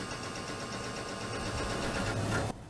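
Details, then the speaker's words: AT&T Globalyst 630 (Pentium 100) floppy drive at boot, after cleaning: busy, uneven chattering and buzzing as the head steps instead of the usual clean seek clicks; head mechanism misbehaving, cause not yet confirmed. "That is the weirdest floppy seek I've ever heard. That is so weird."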